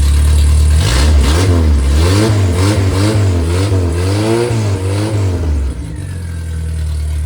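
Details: Freshly rebuilt MG Midget/Triumph Spitfire 1500 performance four-cylinder (shaved head, flat-top pistons, enlarged intake valves, 270 cam) blipped up and down, revving cleanly with no knocks, misses or rattles; healthy revving.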